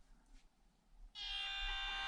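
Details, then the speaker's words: Headless FMS Atlas 6x6 micro crawler on its stock ESC with Turbo Racing receiver: after a quiet start a steady, high-pitched, multi-tone motor drive whine as it moves off; quite noisy, but low-speed modulation is decent. "you hear it's quite noisy but low speed modulation is not that bad"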